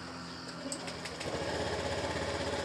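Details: Engine starting after ECU replacement and repair of a torn CKP sensor wire: short crank, then catches and settles into quick, even putter with no misses; normal idle.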